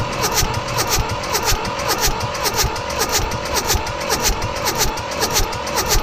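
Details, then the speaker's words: Mitsubishi D1800 tractor, KE95 diesel with ND injection pump being overhauled, primed after timing and fueling trouble: steady rhythmic cranking under two beats a second, never fires. "we got nothing so let's look a little deeper"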